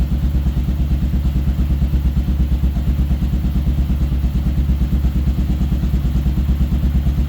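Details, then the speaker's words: Kawasaki KLR650 single-cylinder running after carb cleaning and airbox/motor mount install; even, deep thump about three beats a second, steady without hunting, revs and sounds pretty good; normal idle. "So here's what it sounds like. Rev it, but sounds pretty good."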